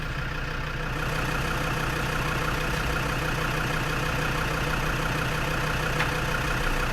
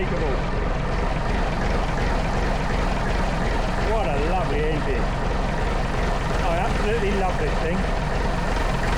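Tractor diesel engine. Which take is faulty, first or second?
first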